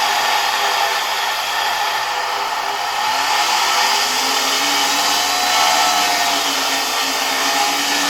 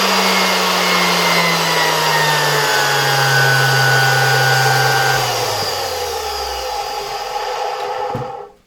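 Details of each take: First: Zelmer 01A vacuum cleaner from 1973 with a type 34 commutator suction unit: high steady motor whine with a rough scraping hiss; owner suspects the turbine rubbing its housing rather than the motor bearings. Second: Zelmer 01A vacuum cleaner (1973), type 34 motor removed from housing, bench run at low voltage via regulator: smooth, steady whir without rubbing or rattle, pitch sagging evenly then winding down quietly; motor healthy.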